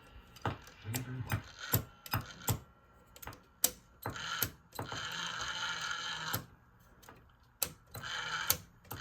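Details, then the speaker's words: SABA Breisgau Automatic 125 radio, first power-up before recapping (one suppressor capacitor replaced), slowly via variac to 117 VAC: automatic tuning motor throbs with irregular clicking, ratcheting and whirs, not seeking or stopping on stations; sounds rough. "it should keep running until it finds a station then stop re not doing that sounds is a bit rough"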